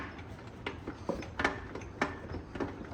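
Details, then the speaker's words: 1985 Honda ATC250ES Big Red three-wheeler, engine off: uneven dull clunks about every half second, rear axle loose inside its carrier; lock nut found loose, likely backed off while riding. "Hear that clunking? If you can't see it on camera, the axle is loose inside the carrier."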